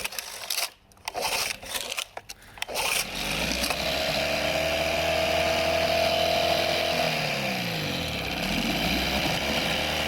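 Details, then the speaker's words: Small outboard during carburettor tuning, mixture screw about 2.5–3 turns out after re-priming fuel: steady buzzy drone that dips briefly and recovers, holding revs somewhat better. "Definitely better. Not much."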